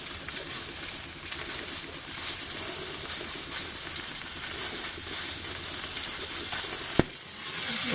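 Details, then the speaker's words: Steam cleaner with a homemade plastic hose on the wand fitting, no clamps. Steady steam hiss over faint pump patter, then a sharp pop. Steam leak at the hose connection; hose clips needed. "oh oh well that didn't work I have to put some clips on the on the hose all right let's have another"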